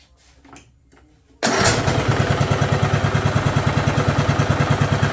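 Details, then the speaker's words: 2011 John Deere D110 with its engine rebuilt from boxed parts, after straightening the rod bend to lower the idle, started without choke: the single cylinder catches straight away and settles into a steady, even thump with no stumbles, running normally. "That thing runs good."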